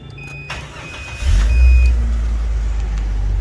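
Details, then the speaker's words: 1997 Jeep Cherokee 4.0L six, cold engine, clean original engine bay: starter turns briefly, engine catches quickly and settles into a steady, even low rumble; easy normal cold start. "อ่ะดีเครื่องฟิตสตาร์ทติดง่ายนะครับอ่าเดี๋ยวเรามาฟังเสียงเครื่องอ่ะครับ"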